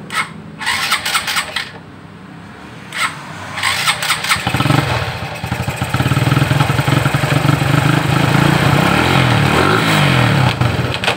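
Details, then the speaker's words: Shogun 125 motorcycle, electric start, rough uneven clattering idle almost like connecting-rod knock; it was actually a loose nut, quiet after fixing, so rod replacement was avoided. "Suaranya berderak, hampir seperti bunyi ketukan batang besi."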